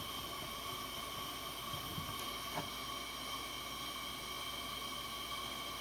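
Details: Coleman 502 camp stove after cleaning, check valve service and carb cleaner, generator warmed up: steady, even hiss with a faint whistle, no sputter or pulsing; blue flame, burner running cleanly at full flame.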